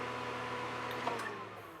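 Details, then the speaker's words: Power Mac G5 after coolant-leak damage repair, first power-on with two CPUs reinstalled: steady, even fan roar with constant hum underneath; fans at full speed, as expected. "Fans are at full speed, which we assumed would happen. At least it sounds like they are."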